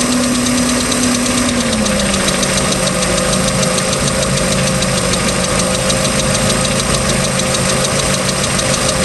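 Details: 3.0L MerCruiser marine engine at idle, with a second owner and unknown history, ticking since the start of the season; a light, fast, uneven tick of about two per second rides over a steady idle. Cause unknown.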